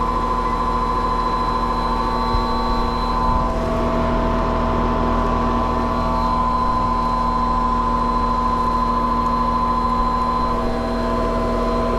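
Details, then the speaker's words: Trane condenser fan motor running: steady hum with a fixed whining tone over the fan's rush, unchanging; the condenser fan motor itself is noisy and failing, replaced afterward. "all right that sounds like that condenser fan motor is a problem"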